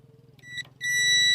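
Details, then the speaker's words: Tata 1512 BS6 truck that died while driving and won't start with no meter lights, main battery fuse checked with multimeter continuity: brief blip then clean steady beep; continuity present, this fuse is good. "हमारा यह fuse ठीक है।"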